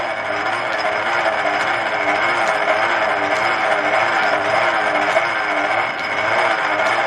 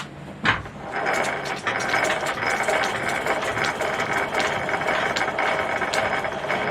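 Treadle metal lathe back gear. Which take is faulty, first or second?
first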